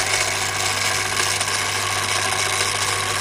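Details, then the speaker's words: Daiwa DR-7500 antenna rotator (Kenpro KR-400 equivalent), upgraded, powered up on the bench: even motor whir with a fine gear buzz, unchanging, no knocks or grinding; normal running. "so let's turn him on i'm powered up so there we are there we are powered up we're taking a bit of a drive and show it working"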